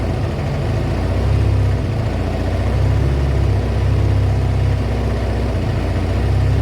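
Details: Kawasaki ZL600 V-twin after a project revival, just fitted with a new battery and pod air filters, warming up with smoke off the exhaust: deep, lumpy but even idle with slight swells. A healthy warm-up.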